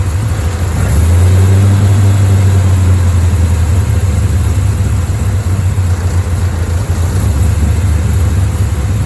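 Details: Chevrolet Bel Air V8, two-year-old fuel nearly empty: deep idle wobbling and sagging unevenly, stumbling as if to stall; rough idle, owner suspects running out of gas.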